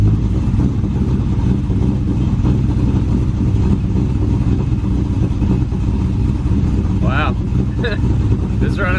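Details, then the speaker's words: Boosted GTO V8, cold first start of the morning, nitrous unhooked: steady, even burble at cold idle with no misses or surging; air-fuel slightly rich before warm-up, normal cold idle. "air fuels a little bit a little bit richer than i wanted to idle but like i say it's not warmed up yet so we'll see how it does whenever it gets warmed up"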